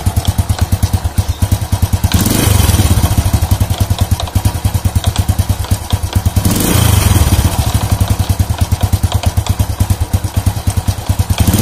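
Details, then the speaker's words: Old Honda Supra motorcycle, complaint of clattering from the clutch housing on slight throttle: steady thumping idle with loose clatter swelling on each blip, like a loose bolt. "untuk motor ini keluhannya yaitu ada dibagian mesin kabarnya Hai di bagian mesin kalau di grab sedikit ada suara klotak klotak di bagian bak koplingnya"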